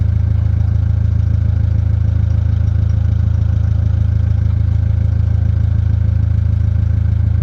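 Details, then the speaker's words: Ford Mondeo Mk3 idling after a rear wheel bearing replacement, ABS sensor just reconnected; steady low idle with even fast pulsing and faint clatter, sounds rough, owner notes engine doesn't sound good; abnormal engine idle noise, cause unknown. "honestly that engine doesn't sound good either but I'm going to ignore"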